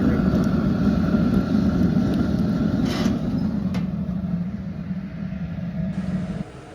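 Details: Homemade gravity-fed waste oil burner heating a 1700 sq ft shop: steady low roaring rumble with a soft flutter, even and unchanging, before it lights off; normal running before light-off.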